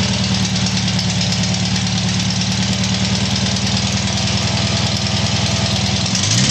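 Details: Tiger-1's engine started after rebuild: steady loud idle with constant low throb and no rising or falling knock, settling evenly; normal idle.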